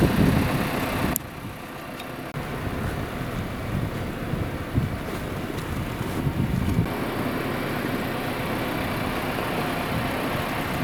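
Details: Audi Q3 1.4 TFSI (CZDA) after a rebuild for knocking and oil burning, with the block bored to second repair size and new pistons: smooth, even idle with a low steady hum and no knocking or ticking, over light wind. Healthy idle.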